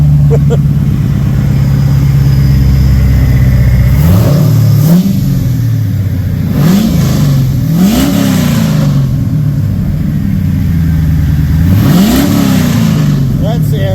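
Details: Old box after its first modification; idle rises in several quick throttle blips that climb and fall back cleanly, no knocks or misses: engine sounds healthy.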